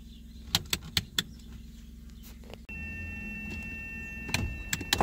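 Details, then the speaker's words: 1981 Mazda RX-7 FB power window: sharp rattling clicks then steady motor whir with clunks near the top, glass not closing fully; broken, crumbled 40-year-old window seal and misaligned guides let the glass rattle. "a common problem with those FB are the window alignment it can be defective due to various reasons in my case you can hear that the window is just rambling and also not going up all the"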